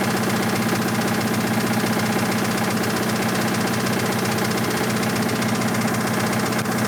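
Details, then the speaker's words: 1986 Toyota MR2 AW11 salvage-yard parts car, after vacuum leaks were fixed: constant hard metallic knocking about four per second at idle over the engine hum; bad rod knock, engine declared toast. "the rod knock uh is pretty bad. So, uh that engine is toast."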